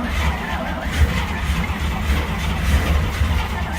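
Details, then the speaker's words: 1950 Dodge B2B truck parked since 1978, first start attempt after recovery: steady low starter churn with uneven chuffs that almost catch but never pick up; cranks, won't keep running, later backfires. "So close. So close. It's getting there."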